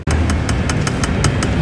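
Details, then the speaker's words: Tesla interior rear-view mirror base with the cover removed: light, crisp ticks about five a second over a low hum as a wire taps the metal plate on the circuit board. A loose clip also rattles; fixed by wrapping with foam strips. "然后我们再听一下这里，这根电线跟这个金属的这一块好像是有碰撞的"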